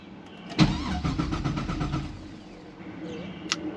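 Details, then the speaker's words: Pontiac GTO with open headers, ignition coils not hooked up, after an electrical no-start problem seemed to fix itself: the starter spins the engine in quick, even beats, about eight a second, with no clatter; normal cranking. "I didn't touch anything I was just showing you guys what the problem was and now it's working all of a sudden"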